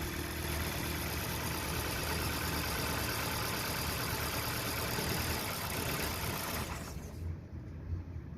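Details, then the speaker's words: 2014 Kia Rio no-start: engine control relay clicks and engine runs steadily when its command wire is manually grounded, then cuts out when ground removed; relay is fine, ECU ground command to relay is missing. "نسمع صوت اشتغال الريلي، وعند تشغيل المحرك فإنه يشتغل، لكن إذا قطعنا السالب نجد أن المحرك ينطفئ."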